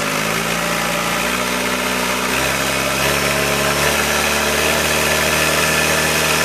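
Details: 1966 Allis Chalmers HD4 with rebuilt 1985 Gleaner F2 433IT combine diesel engine: steady, even idle with a deep throb settling slightly lower after a few seconds, no knocks or misses; healthy.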